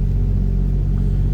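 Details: 1961 Plymouth Fury, 225 slant six, push-button automatic, dual exhaust, cold start: deep steady exhaust rumble at even idle, no misses or tapping; runs smooth from cold, normal.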